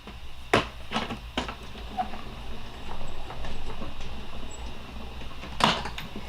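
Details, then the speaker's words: Die-cutting machine with the plate fed in at an angle instead of straight: a low rolling rumble and light clicks with only a teeny pop, not the big pop of a straight feed, and the cut comes out cleanly. "you heard a teeny pop but not like that first one and it cuts it just as well"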